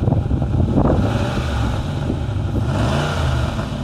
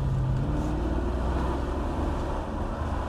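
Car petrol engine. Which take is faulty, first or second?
first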